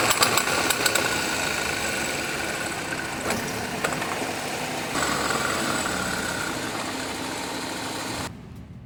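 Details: Jeep Grand Cherokee while driving and accelerating: a fairly regular knock of about four per second from underneath the vehicle over engine and road noise; source still undetermined.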